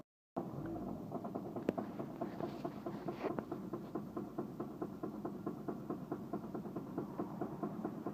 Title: Stall on start then knocking sound